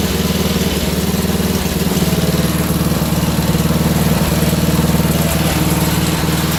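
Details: Wheel Horse GT2500 garden tractor single-cylinder engine just restarted: fast idle with uneven, hunting beat and irregular stumbles, running a little off; owner suspects a stuck carburetor float, unconfirmed. Rough running.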